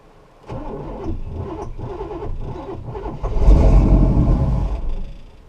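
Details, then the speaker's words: 1969 Buick Special Deluxe with a stalling problem, right after turning the distributor to adjust timing: starts, then runs lumpy and uneven with an irregular beat, stumbling as it revs; rough running. "Okay. That doesn't sound good."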